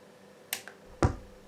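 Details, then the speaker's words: KRK Rokit 5 Gen 2 studio monitor, left speaker, being switched off: a soft click, then a sharp low thump about half a second later over quiet hiss. It also pops at turn-on and hums and crackles. Recorded before repair. "okay i'm gonna turn it off"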